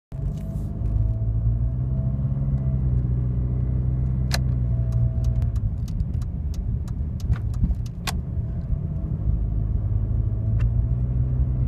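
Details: Jeep Liberty CRD diesel rumbling at low speed with a thin steady whine above it and a few sharp clicks; the cause of the whine is unknown.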